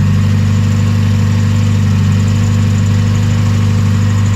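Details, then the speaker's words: 1993 Mazda Miata 1.6L started after replacing spark plugs: steady, even low idle hum with no stumbles, ticks or knocks; sounds real smooth and healthy. "Alright, let's start up the Miata here and see what it sounds like. Sounding real smooth."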